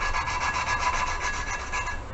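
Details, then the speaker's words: Toyota 1NZ-FE cylinder head being built for turbo, hand lapping a valve with fresh compound: harsh sandy scrubbing with quick twisting strokes, rough and gritty from compound and seat marks; valve seat early in lapping. "can hear it's really rough and gritty that's part compound and part any little marks that are in there"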